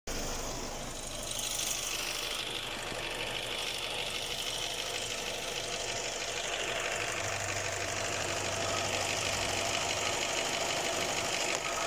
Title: Cadillac XT4 Engine noise